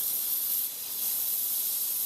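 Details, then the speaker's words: Refitted towel rail radiator: steady thin high hiss of trapped air escaping from the opened bleed valve as water comes up through the radiator. "So we'll just undo this valve and you'll hear the air coming out now as the water starts to come up through the radiator."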